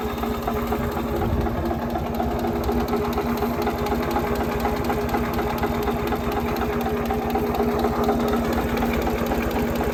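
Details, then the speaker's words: Ford 2600 tractor diesel after valve adjustment: steady idle with only faint light tapping under the valve cover, much quieter than before. "so these are pretty noisy but you hear a little bit of tapping ignore ignore that whatever that noise is but you hear a little bit of tapping under the Val cover but not like it was before"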